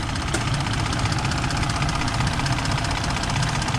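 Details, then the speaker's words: 2018 Ford F-150 after timing chain replacement, cold idle: steady even idle, smooth low rumble, no rattle or knock; sounds good, to be left to warm up, coolant and oil levels and leaks to be checked since thermostat and water pump were removed. Normal. "ahorita se oye bien ahorita le vamos a dejar que caliente"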